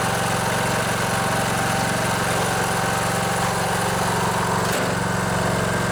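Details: Poulan Pro riding mower, Briggs & Stratton Intek 19.5 hp, after the stuck fuel solenoid on the carburetor was freed with spray and clicks again: steady, even low drone at constant speed with no misses, knocks or surging; normal running.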